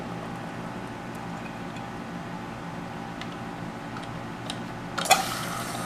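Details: American Standard toilet fill valve hissing as water keeps flowing into the tank without shutting off, still running after flushing out; debris in the fill valve suspected, or the valve worn out.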